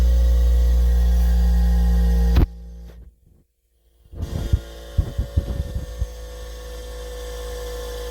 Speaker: I've never owned one of these before, so I didn't know that this is the normal function, but I mean, it seems like what this is what's happening is that it just has that much energy in the motor.